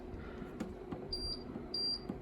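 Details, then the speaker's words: Two-year-old Candy heat pump tumble dryer, plugged in during cold weather and set to cotton: short clean high beeps with each button press; panel responds normally, though the drum clunks and sticks at switch-on. "You turn it on, it beeps, I've got it set to cotton."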